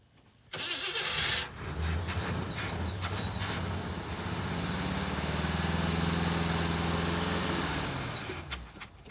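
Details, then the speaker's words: Cadillac Eldorado project, electric fuel pump with primed hose: starter churns evenly about three times a second for eight seconds and engine never fires; no fuel pressure or flow as the pump isn't picking up. Crank, no start. "the fuel pump isn't picking up yeah I think when we left this car it ran I do remember hearing an engine make noise I don't know we got no fuel system are we making any pressure here at all we got any flow ready ready yeah nothing"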